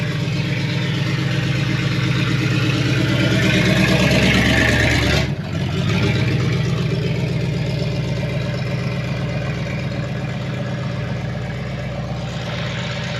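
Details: 1972 Chevrolet Impala, parked for a severe misfire, running after points filed twice and timing adjusted; steady, even low idle rumble with one brief dip midway, then settles smoothly with no knocks or misses; now normal idle.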